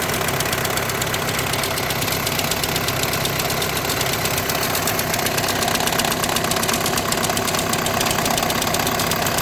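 Engine idling with a fast, uneven metallic rattle and chatter on top, about two per second, pointing to a clutch pack vibration in the gearbox. Cause suspected, not confirmed.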